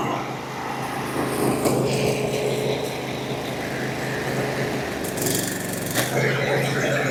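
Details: Briggs & Stratton 24 hp twin on a Husqvarna, low on power, at fast idle with the non-factory governor wire removed; dirty, old gas. After repairing one cylinder, the other side stumbles and pops irregularly, pointing to an intake valve not sealing; heads may come off.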